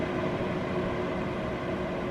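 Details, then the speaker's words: Vornado CYLO50 air purifier in quiet mode: soft steady airy whoosh at constant level, no rattle or whine, much quieter than medium; normal fan operation. "There we go. There's quiet mode. That's much better."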